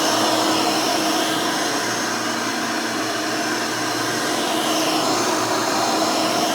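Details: Rebuilt Hoover Elite 600 upright vacuum with new 7 amp motor and 20-blade fan running; steady, even motor whine with constant airy rush, no rattles, scraping or speed wavering; smooth, fairly quiet, like the original 6 amp, healthy.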